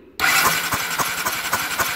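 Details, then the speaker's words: Honda CBF 250 that won't start, in neutral with the battery connected, cranked on the electric starter to check plug spark: fast, even spin with steady pulses about four a second, no grinding or slipping; starter normal, and the plug sparks. "Y lo que vamos a hacer es, al darle al motor de arranque eléctrico, tenemos que ver si la bujía suelta chispa o no, para comprobar que esté bien."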